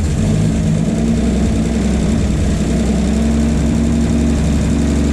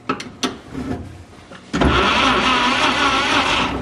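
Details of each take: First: 1951 Chevy 1430 pickup inline six, previously seized, now running on a jerry-can fuel feed with idle turned up: smooth, even low drone, no knocks or misses; owner suspects the fitted fuel pump is bad; normal idle. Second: 1951 Chevy 1430 pickup straight-six, seized after years stored, now freed: starter spins it fast and evenly with no compression beats after some clunks; low compression from stuck rings.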